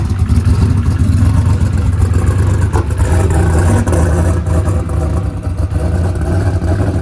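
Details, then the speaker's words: Ford Coyote V8 with 107mm turbo, injectors changed and injector data set to 850; lean popping, rough lumpy idle with sharp pops, fuel pressure only just holding near target. "it was running a little bit lean lean popping go ahead and crank it back up Donald"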